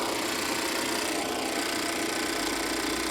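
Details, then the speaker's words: Auction vehicle at idle with the hood open: fast light ticking, about three or four a second, with plenty of hiss. It comes from the engine itself, not an air pump; not major but seems abnormal, cause unknown. "So that's not an air pump. That's the actual engine. It's not major, but I don't think it's supposed to sound like that."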